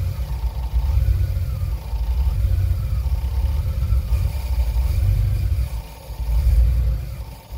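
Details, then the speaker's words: Boat engine with Holley Sniper EFI idling: deep rumble that swells and sags unevenly, with a solenoid clicking on and off after a dual-battery install. "now one thing you can hear there is the solenoid clicking on and off you can also hear it's got a rough idle"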